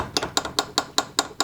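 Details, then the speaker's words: Garage door roller stem with sleeve removed: sharp metallic clinks about five per second as the loose stem bounces metal-to-metal in the hinge tunnel; free play causes rattle. "That's the metal to metal contact. Whenever you're opening and closing your garage door, this thing has free play. So it just bounces all over the hinge tunnel."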